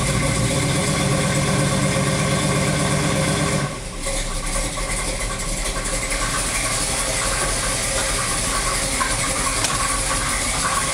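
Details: 1986 Olds Cutlass Supreme, 455 V8 build with about 8,000 miles, synthetic 5W-30/10W-30, oil level correct: at idle a steady knock near three beats a second over the lope, started within the last 50 miles; cause unknown.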